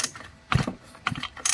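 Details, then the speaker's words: 2016 MTD-built 25cc 2-cycle split-shaft trimmer (Murray/Troy-Bilt/Craftsman) before carburetor replacement: two recoil pulls each with a firm chug as the piston comes over; good compression, cylinder still to be checked by camera. "Sounds like it does. I'll need to check the cylinder with the camera to make sure we're not working on something that's burned up."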